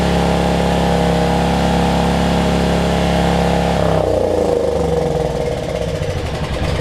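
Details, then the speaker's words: Generac 7500EXL generator, low oil switch unplugged after it kept shutting down after 3-5 seconds, now running great: a steady, high, fast hum for four seconds, then the pitch drops away; governed speed set too high, engine overspeeding, throttle speed later slowed. "sounds like it's running a little fast to me"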